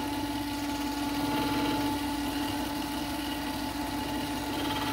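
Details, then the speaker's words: Vevor 8x14 mini lathe after upgrade from 3/4 hp brushed motor to 1 hp servo motor: steady motor hum with two tones and faint uneven brushing as the drive belt rubs the belt cover corner; fix is bevelling that corner off. "both hitting this corner a little bit on the old ones we cut that off"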